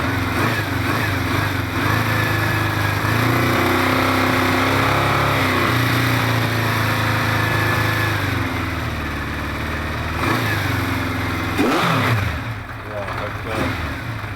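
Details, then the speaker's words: Recommissioned 1973 Honda CB500 Four after carb reassembly, no air filter, slightly lean and unsynced: picks up cleanly on each throttle blip and settles back evenly. Torque pickup is good, so all cylinders seem to be firing. "picking up torque is quite nice, so I think it runs on all cylinders."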